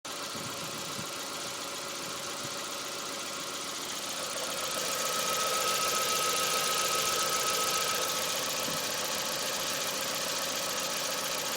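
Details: Mk4 Golf GTI 1.8T on axle stands, recorded underneath at idle: steady put-put pulse three to four times a second with hiss; new dog bone mount and front ARB bushes checked fine; cause unclear, possibly a loose pipe.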